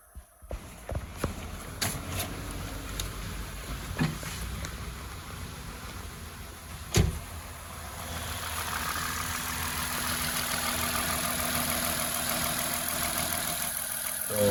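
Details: 2007 Lexus IS350 after fixing a no-crank, no-start, no-ECU-communication fault traced to a shorted sensor referencing the ECM: a few scattered clicks, then the engine catches and settles into a steady, even idle with no knocks; normal idle.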